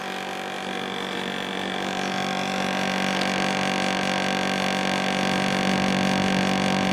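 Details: 1990s Japan-made National (Matsushita) CU-915KH 1.0-ton mini-split outdoor unit on roof tile, daytime: loud hum and drone, rising buzzy tone, constant rattle, excessive vibration; noisy since September 2012 after being quiet, cause unknown.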